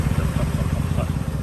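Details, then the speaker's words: 2003 Mercedes-Benz E500, 5.0 V8, at idle: deep exhaust beat that is slightly uneven and throbbing; owner blames a broken catalytic converter, possibly a bad O2 sensor, not confirmed. "You can tell it, you can hear maybe the vibration. So you can tell it's not running its best."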